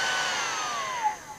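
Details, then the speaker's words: Portable hot-air soldering station (blower) with burnt IC, being repaired and modified to reduce airflow: fan motor wound down to its slowest setting, steady airy whirr with falling pitch, smooth and rattle-free; blower fan normal at low speed. "Ini pelannya, paling pelan. Mudah-mudahan kedengarannya."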